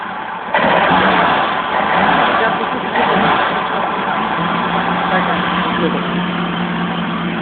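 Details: 1971 BMW 1800/2000ti engine, just brought back to life: catches and settles into a steady, even run with smooth revs and no knocks or rattles; normal running.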